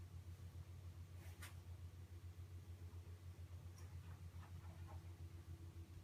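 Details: QNAP TS-419P II NAS with 8 TB drives, under load: quiet steady hum with scattered sharp irregular clicks from the working drives; silent at idle; cause of the ticking not determined.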